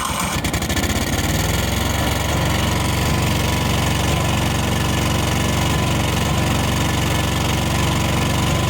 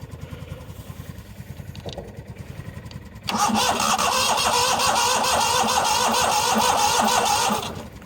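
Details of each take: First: 1998 Yazoo YTKC22 three-wheel mower, single-cylinder, started on full choke with the air cleaner fitted. The engine catches, then settles into a steady, fairly even beat with no knocks or misses: it runs normally. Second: 1998 Yazoo YTKC22 three-wheel mower, very cold day, gas probably bad: starter cranks steadily about three turns a second, then harder, but engine never catches; no-start, owner suspects safety interlock or ignition switch, probably interlock.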